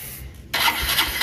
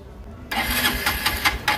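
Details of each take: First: Honda Dream Neo 110 single-cylinder motorcycle previously hard to start, test run with air filter box removed: fires on the first start and settles into steady even idle, indicating a dirty air filter needing replacement. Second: Honda Dream Neo 110 motorcycle in neutral, carburetor tuned and spark present; flooding suspected: repeated rough cranking bursts with no catch or idle; hard starting, cranks but won't fire.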